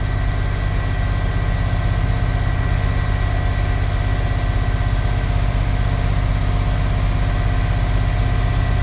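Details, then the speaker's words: Chevy square-body crew-cab dually with 454 V8, after O2 sensor replacement, warming up and slightly rich: deep, even running with no stumble or hesitation; seems more responsive without bogging down. "Wow. It seems a lot more responsive without bogging down."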